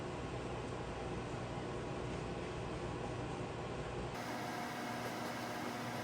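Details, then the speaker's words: Kenmore microwave after reinstalling the control board (no-heat and turntable fault): steady low transformer hum with even fan rush, no buzzing or arcing; turntable turning, heating normally, water boiling. "so now i can hear the transformer running that gives me a good feeling that the microwave is working"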